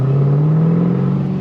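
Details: 2010 Camaro SS, 6-speed manual, Edelbrock TVS supercharger at 10 psi, 234/244 cam, LT headers, straight-piped exhaust: deep, steady rev with a smooth, even drone. The popping is gone. Runs clean but still needs tuning.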